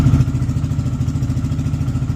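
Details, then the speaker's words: KPM 200 single-cylinder motorcycle in neutral after air filter change and re-oiling the foam filter: steady, even thump around eight beats a second, no misses or rattles; purring like a kitten again, normal idle. "Beautiful. Burn like a kitten again."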